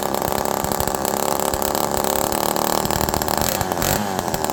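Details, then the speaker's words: Homelite Super Mini two-stroke chainsaw, carb jets about 1.25 turns out, fuel pouring from muffler: revs quickly and hangs at a high buzzy rev, not returning to idle; air leak suspected, not confirmed. "Let's fire this thing back up. Listen to how it revs quickly but doesn't go back down to idle."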